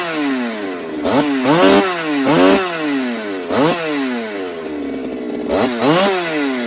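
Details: Ported Holtzfforma 395 chainsaw, second test, running lean after fixing a possibly stuck compression release: revs sweep up but flatten at the same ceiling each time. Top-end rpm is limited and tune changes aren't affecting it.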